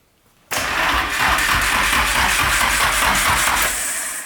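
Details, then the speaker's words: Freshly wired engine with stock oil pan, cranking via starter relay before first start: steady, even crank with regular compression rhythm and no knock, not yet firing; normal cranking. "so it cranks this sounds good I don't hear a knock"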